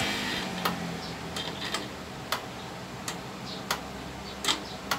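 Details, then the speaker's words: Copy racer motorcycle whose starter won't crank, on key-on. Sharp dry clicks, about nine in five seconds, with no cranking: the starter relay chattering. The mechanic says issues like this are usually a weak battery. "Kapitik lang po siya."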